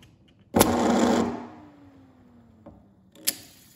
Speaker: so besides the rattling on the counter you can hear the clicking almost immediately and then as it spins and slows down it clicks back to its wristing position